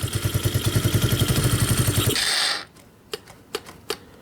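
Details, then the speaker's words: Coleman AT125UT ATV from Tractor Supply, which previously wouldn't run, just started and still cold. The small single runs with a sharp, even chuffing tick about four times a second, then shuts off. It is a big exhaust leak, and the exhaust needs tightening. "we're we're we're starting now and we got a big exhaust [Music] leak because I hear it out of"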